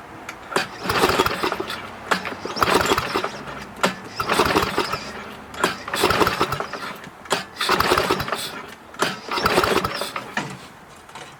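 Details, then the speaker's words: Snowflite snowblower, oil level slightly low, being hand pull-started: repeated pull-cord cranking bursts about every two seconds, engine turns over but never catches because the key was off; cranks but will not start. "start probably would start better if i had the key on"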